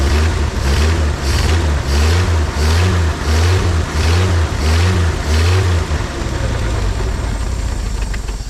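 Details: 1950 Chevrolet Styleline parked 7-9 years, restarted, carb base O-ring suspect: strong pulsing surges about once a second, then settles into a steady, even low idle; normal running after restart.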